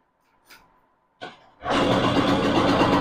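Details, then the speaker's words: TVS XL Super (XL100) two-stroke moped with a starting problem, after replacing the faulty reed valve and refitting carburettor and air filter: quiet, then it catches on the first try and settles into a steady, even buzz; normal start. "Friends வண்டி நல்லாவே start ஆகுது ஒன்னும் பிரச்சனை இல்லை"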